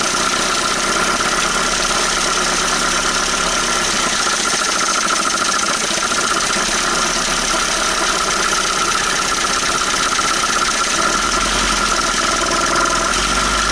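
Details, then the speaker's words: 1980 Dodge Colt Challenger (Mitsubishi Galant) four-cylinder, sitting 20 years since 2001: busy, fairly even clatter with much top-end noise and a steady tone; running on all cylinders, sounded pretty good for a while. "well i got it running uh on all cylinders sounded pretty good there for a minute"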